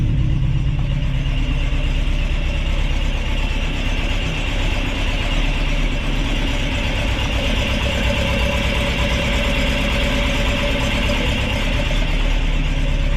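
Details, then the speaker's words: Ford crossflow race engine in a TVR Vixen, rebuilt with a loaned cylinder head, first start: strong steady four-cylinder note, no knocks, ticks or misses; runs healthy and clean, not yet warmed up. "and of course at the moment seems like it runs through a winner we'll see how it goes"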